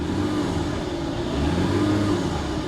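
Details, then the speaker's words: BMW 325ci salvage car started in standing water with the tank nearly empty; smooth, even engine note rising cleanly with throttle blips and dropping back without stumbling; runs well and sounds healthy. "There it goes. Hey, it actually runs really well. I mean, it's completely out of gas."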